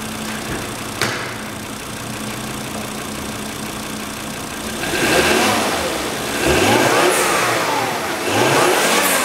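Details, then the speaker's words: 2007 Volvo XC70, 2.5 L turbo engine (California emissions), automatic, AWD, 36,000 miles, minor front/rear collision; recorded outside, steady even idle then several clean throttle blips rising and falling smoothly, no knocks or misses; normal healthy engine revving. "as you can hear we have an excellent running 2007 volvo xc70 this vehicle is an excellent running 2.5 litre turbo California missions engine"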